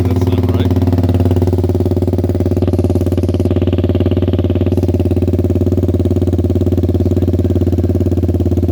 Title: 2014 Suzuki Burgman 200 exhaust leak